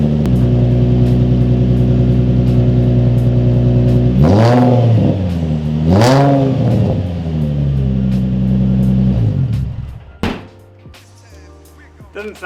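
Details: Nissan 350Z with newly fabricated exhaust replacing open header, test pipes to Y-pipe, first start: deep steady idle, two clean blips settling smoothly, no knocks or rattles, residue burning off; engine runs normally.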